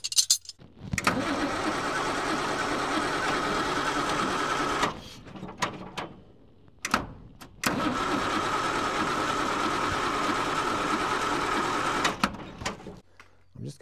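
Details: TK Bedford crane truck with Perkins 6354 six-cylinder diesel, sat about 20 years: two long bursts of steady starter cranking, several seconds each, no firing; cranks but won't start, with dry injector pump suspected before re-bleeding.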